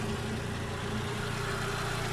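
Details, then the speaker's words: VW Passat B5.5 1.6 ALZ after home-made timing belt job, running better than before though final exhaust silencer is holed; steady even low hum, no misses or ticking; normal idle. "Deci, motorul merge mai bine ca înainte."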